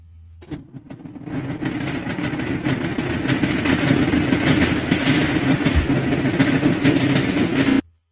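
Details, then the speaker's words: 2011 Ford Kuga Mk1 diesel, UFDA engine, code P1168: starts and runs roughly with loud, uneven knocking and severe power loss; a faulty pump inlet metering valve (IMV) is starving fuel rail pressure. "un jour de plus sur la chaîne, cette fois nous apportons un problème avec un Ford Kuga Mark 1 de première génération dans lequel le propriétaire se plaint d'avoir subi une grave perte de puissance, en plus du bruit qui vous avez entendu parler de forts cognements du moteur."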